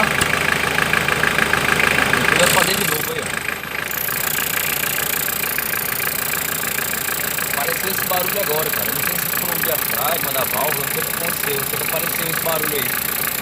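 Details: Mitsubishi L200 Outdoor diesel idling with a constant electric buzz from the brown turbo boost control solenoid valve; the turbo is inoperative, the check-engine light is on with a fault code, and the buzz stops when the valve is unplugged.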